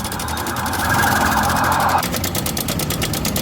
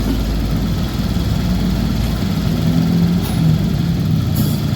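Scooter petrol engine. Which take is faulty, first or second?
first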